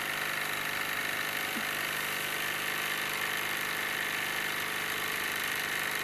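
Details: Wilesco D-18 tabletop steam engine running outdoors in a back garden, throttled down: loud, even hiss with a quick steady beat of about three to four strokes a second; normal smooth, healthy running.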